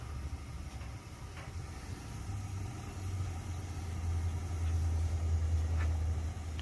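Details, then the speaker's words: 5-ton 125,000 BTU gas furnace after a new gas valve and thermocouple: low, steady burner rumble building as it heats, no popping or roaring, before the blower fan kicks on normally. "Oh, it's alive. Fan is blowing. Beautiful. Okay. We are working."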